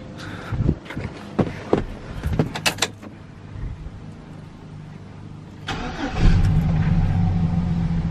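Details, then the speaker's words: Truck after fuel pump replacement, bed removed: several seconds of uneven cranking, then it catches first try and settles into a steady, even run; no fuel leaks seen. "there we go there we have it she's running I don't see any fuel leaks yet that's good"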